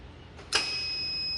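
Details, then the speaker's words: Kubota tractor/combine diesel during a stop solenoid circuit repair, at key-on. A click, then a steady high-pitched buzz that holds and stops after about 3 seconds; this is the normal warning buzzer, with the controller also powering the 5-pin stop-solenoid relay for about 3 seconds. "자, 이렇게 3초 후면 부자가 사라집니다."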